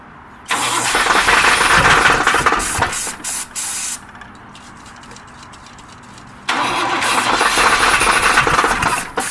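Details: Engine hooked to a jumper that won't start: starter churns a few seconds, pauses, cranks again, engine never catches or fires; extended cranking, no start.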